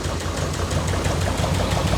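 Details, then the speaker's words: 1967 Lotus Elan +2 just started after four years parked: even, settled idle with regular firing pulses, no misses or knocks; running beautifully, no leaks. "beautiful sounds amazing doesn't it yeah it's seems to be quite happy doesn't it yep nothing leaking there running beautifully"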